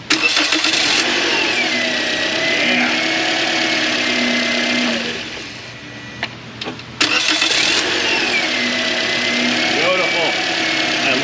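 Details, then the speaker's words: 2013 Toyota Corolla restarted after belt retensioned: engine catches quickly and settles into an even idle with no squeal or chirp; normal idle after repair. "love the sound of not squealing that's good let's pop our cover back on"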